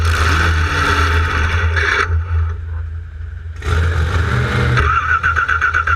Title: No start raw